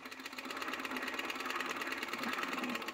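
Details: 1923 Ciné Kodak Model A spring-wound 16mm movie camera, serial 01113: fast, even mechanical whirr with steady fine clatter and no catches or hitches; the mechanism runs smoothly.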